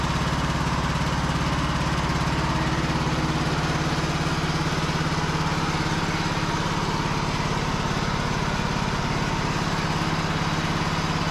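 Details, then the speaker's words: Cub Cadet lawn tractor, starter had cranked hard earlier (solenoid smoked), some corrosion suspected on the terminals: brisk, even cranking about two and a half turns a second, no drag; now cranking much easier, normal. "Seems like it's cranking up much easier than it was. Still think it's got a little bit of corrosion on those terminals."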